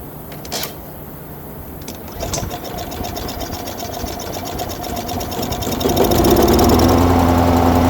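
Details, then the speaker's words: Mower unused for 4–5 years, on four-year-old gas, starting after compressed air was blown through the fuel line and carburetor: small engine catches and settles into a steady, rising buzz with an even firing rhythm; running normally. "Oh my god, I'm never cleaning out a carburetor ever again."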